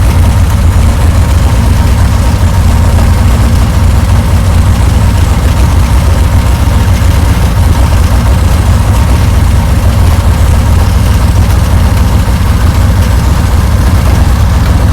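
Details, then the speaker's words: Reliant Supervan running for the first time in 37 years, cold November morning about one degree, choke pulled fully open, ignition light still on: steady low, even idle with no knocking; engine sounds healthy. "okay we are ignited you are live oh that's better H One Alive plastic Pig listen to her raw"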